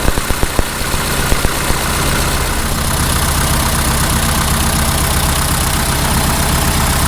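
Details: 1948 Farmall Cub tractor four-cylinder started in early spring, about 30s °F, for an oil change: a few sharp pops at startup, then steady even low idle with no knocks; oil pressure checked; runs normally.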